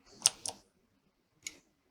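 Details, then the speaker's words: Used computer motherboard being tested, powered down and back up: sharp bright clicks, two close together then one more, from the power supply relay clicking off and on by itself. "that's cool guys if you heard that click that's the actual power supply clicking off and clicking on"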